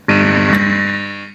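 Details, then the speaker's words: Fender Hot Rod DeVille Mark III 4x10 valve amp with a Hammer ECC81 in V1, mics tipped toward speakers; loud steady tone near 200 Hz starts abruptly and fades, a second ECC81 did the same; valve amp oscillation. "i'll give that a minute to warm up and i'm only going to do this for a second because it makes an awful racket"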